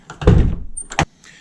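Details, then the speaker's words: 2009 Nissan R35 GTR driver door, after wedging a loose piece in the lock area with the door card off: one solid thud and a clean latch click. The earlier rattle is fixed. "Let's uh try the door again. Now, sounds much better. That has fixed it."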